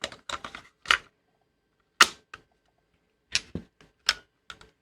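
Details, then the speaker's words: Panasonic RQ-R1 cassette player after a repair attempt with the solenoids refitted: irregular bursts of sharp, dry clicks and the mechanism fails to engage; the owner suspects a button shorted by a cable damaged during soldering. "should we put the tape in it anyway it's not very successful sounding is it i'm thinking maybe one of those buttons is shorted out now"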